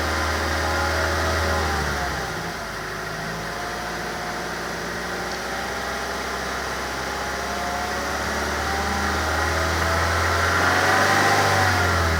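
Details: 2006 Mazda3 s 2.3: steady engine drone at about 3000 rpm with a strange humming overtone riding on it, heard better with the camera in the cabin; source unclear.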